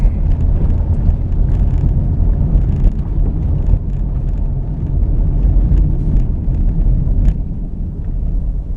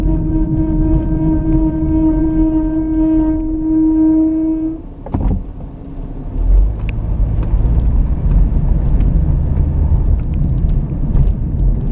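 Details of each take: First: Car braking to a stop after replacing a caliper whose slider pin had seized and caused squealing: only low road rumble, no squeal or scrape; brakes now quiet. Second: Car braking to a stop: loud steady high squeal that cuts out as it halts, from a dragging caliper whose slide pin seized with no grease under the boots; noise gone after replacing the caliper.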